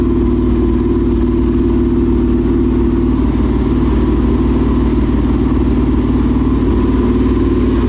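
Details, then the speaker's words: Dirt late model race car with a new crate V8, idle just adjusted down: loud, even lope with clean, steady firing; normal idle. "i think they both sound great they both say they found like they sound like first and second place"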